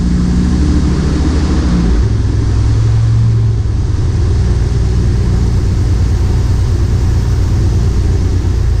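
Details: M37 Dodge big six after carburetor refresh and accelerator pump replacement, hot 100-degree day: loud steady low rumble settling at even speed, no misses or knocks; normal running.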